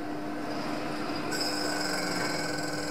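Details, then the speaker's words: Washing machine with weak-spin complaint on spin test: loud steady high whirr and rushing hiss, drum spins strongly; technician says the 12 µF capacitor needs replacing. "Quay mạnh lắm á. Con này quay mạnh lắm mà."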